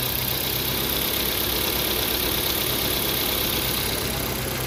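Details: Ford Fiesta/Focus after repair for idle hiccups: even, steady idle with no misses, only a light tick over the engine note; cam timing found about 30 degrees out and reset without new parts, after earlier coil, plug and throttle body replacements failed; now running cleanly.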